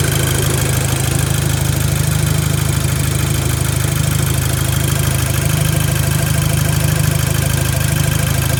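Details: VW Golf Mk5 GTI at idle. A steady idle with a heavy low drone and an even pulse about twice a second; the owner is unsure if it is normal, cause unknown.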